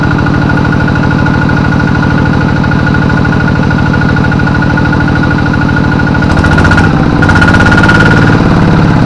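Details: Kubota RD85DI2T single-cylinder diesel tractor, compression still good but hard to start, smoky and weak under work: steady thumping then uneven stumbling, from a weak injection pump plunger.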